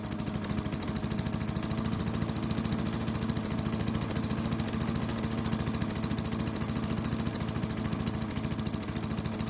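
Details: Craftsman chipper vac with single-cylinder Tecumseh engine, long stored, gives an even, rapid putter at steady speed, no over-revving as before (suspected stuck governor); runs smoothly despite low compression.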